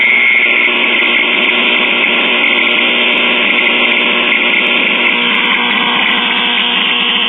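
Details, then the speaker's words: Circa-1938 portable Emerson tube radio under repair, switched on after replacing a tube: loud steady hissing roar with faint whistle and no stations, oscillation. "that sounds interesting let's see if we're getting stationed no no stations just a bunch of [Applause] [Music] oscillations"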